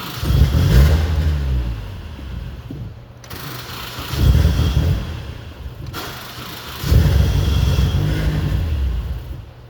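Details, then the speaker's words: 1994 Saturn SL2 with the old starter refitted, a new battery and an upgraded ground: three times the engine fires and revs for a second or two, then dies each time. It starts, then stalls. "okay. So, it turns on shortly and it immediately kills itself."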